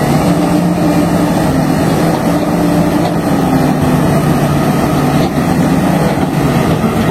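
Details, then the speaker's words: HB365 turbodiesel with EGR, after repair of a turbo rubbing noise that appeared at high idle: steady, even diesel drone with no scraping or rubbing; normal turbocharged diesel running. "Nih setelah repair ya suara engjinnya bisa didengerin sendiri sudah tidak ada kendala lagi pada turbonya"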